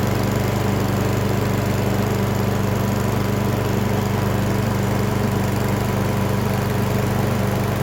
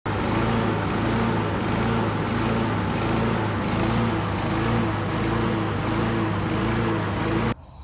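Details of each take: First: Briggs & Stratton 550EX lawn mower with a plastic carburetor, after cleaning the carb jet to cure RPM surging: steady, even putter at a smooth, stable idle with no rise and fall in speed. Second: Briggs & Stratton 550EX mower engine with plastic carburetor runs unevenly, speed rising and falling in a repeating cycle; engine surging, RPM hunting.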